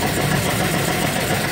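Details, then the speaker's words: Toyota Kijang Super G engine at idle before half engine teardown, leakage in cylinders 1 and 2 means low compression: uneven, lumpy idle with stumbling beat, shaking like an earthquake; rough misfiring idle that a tune-up cannot fix. "kayak gempa bumi gitu ya Nah jadi dengan kondisi seperti ini mesin begini ya Ini udah nggak bisa di tune up karena ada terjadi bocor di silinder satu dan dua artinya kompresinya sudah ngempos"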